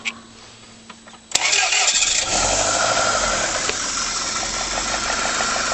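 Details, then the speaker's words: Rover 75 petrol engine just after a cold start: uneven, lumpy idle like running on about 3 3/4 cylinders, reportedly worse once warmed up, with rattles when backing off the throttle. "You notice straight away there's a roughness which seems to be running in 3 cylinders. Well, not quite, but maybe 3 3/4."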